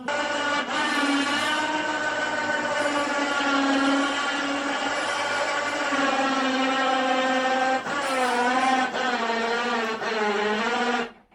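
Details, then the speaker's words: Jaguar Series 2 XJ12 carbureted V12 after fuel treatment added: uneven, loping idle with hollow tone, at least three cylinders down on one bank; one or two carburettors suspected of not getting full fuel, unconfirmed; engine misfire. "Seems like it's down at least uh three cylinders on one side. It could be even more, but uh nah, we'll see."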